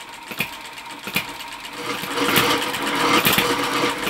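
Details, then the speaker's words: Stirlingkit Retrol B01 hit-and-miss engine driving a windmill and pump through reduction gearing: light rhythmic ticking with a dry scratchy rasp about three times a second; windmill grinding, thought to need oil, exact part unknown. "That noise you can hear is the um windmill obviously needs a bit of oil [laughter] cuz it's grinding a bit."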